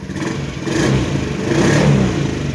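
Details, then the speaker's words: Used motorcycle (scooter) checked before purchase, recorded somewhat far from the engine: the engine rises smoothly twice on light throttle and settles back with no knock or rattle. It sounds smooth: a normal light-throttle rev. "Dari suaranya yang terdengar agak jauh dari mesin, sepertinya masih halus."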